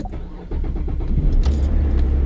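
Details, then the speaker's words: 2014 GMC Terrain cold start at 17°F after fuel injector cleaner soaked overnight; owner had reported hard cold starting. Brief crank, catches at once and settles into a smooth, even idle with no stumble. "Starts right up."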